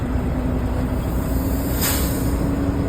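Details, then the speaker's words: Truck diesel idling steadily, then a short sharp hiss as the air governor cuts out and the purge valve vents at 120 PSI, tanks fully aired up; normal air governor cut-out with air dryer purge. "That's your air governor. Uh that's your purge valve, so it's at 120 PSI. You hear that go off. Uh so, then your your uh tanks are all the way aired up."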